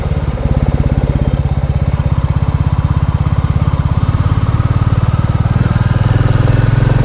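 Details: New Bullet big single pulling under load with a more open DNA air filter cover fitted and the document holder removed: steady, even thumping with a light dry rattle the owner suspected; comments concluded it is normal.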